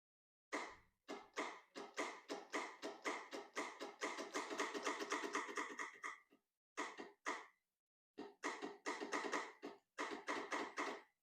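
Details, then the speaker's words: Hustler zero-turn mower that sat over winter and lost all its engine oil through a leak, first start attempt: rapid bursts of clicking about four a second, no cranking or firing. The starter is suspected, and the solenoid is to be jumped next. "okay so this mow when I go and try to start it it just clicks but it doesn't turn the starter um it just clicks so I'm gonna try to jump the solenoid with a screwdriver"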